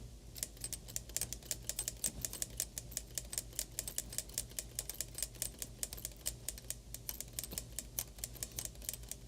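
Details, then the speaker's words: 1935 IBM Model 01 Electromatic typewriter, now running at much less power: quick, crisp key strikes landing evenly over a soft motor hum with no labouring; running easily and healthily. "but yeah, we're running it at way less power now, so it's uh having an easier time with life as well."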